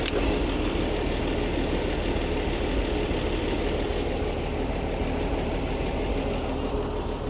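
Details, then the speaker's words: Old Ford D Series petrol six fire truck started after sitting for years: even, steady idle on all six, no smoke or exhaust leaks; earlier lifter noise gone, lifters possibly flat before and now pumped up. "She's running on all six. She's running smoothly. Show the exhaust pipe underneath her. No smoke. No exhaust leaks either. She sounds quite healthy."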